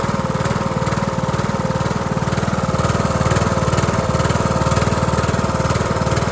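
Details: Cub Cadet LT1045 (276 hours) with a replacement engine fitted after the original cracked its case and seized; started on choke with a jump pack, burning off paint: even, steady thump at fast idle, no knocks or misses. Running healthy.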